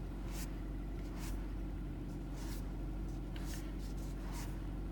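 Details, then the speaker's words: Kia Rio 4 on the morning test drive (test 5) after replacing the complete steering rack: only a low, even road rumble while driving and turning, with no knocks or clicks through the wheel. The rack replacement apparently fixed the steering knock. "звука не наблюдаем никакие посторонние щелчку в тоже во всей видимости замена рулевой рейки решила проблему ура"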